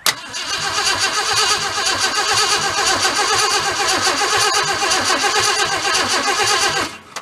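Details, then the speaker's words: 1966 Ford Galaxie XL parked in a field for almost five decades, first crank attempt: starter spins steadily about seven seconds and it never fires; no pulse felt at the fuel line, fuel pump suspected of doing nothing. "you usually pick a little puff coming out of it. So my guess, possibility, is that fuel pump is not doing anything."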